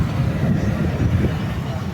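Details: Hyundai Azera engine idling after replacing a dried-out, burst hydraulic engine mount that let the engine bang, which sounded like a suspension noise: low, even hum with no knocks or thumps; normal idle.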